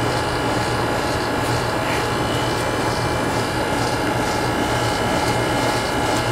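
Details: 2001 Carrier TECH2000 2-ton outdoor AC (model 38TRA024320) with a Copeland scroll compressor on R22, running in COOL mode; suction line cold and sweaty, good subcooling: steady fan rush over a low compressor hum, no knocks; running normally.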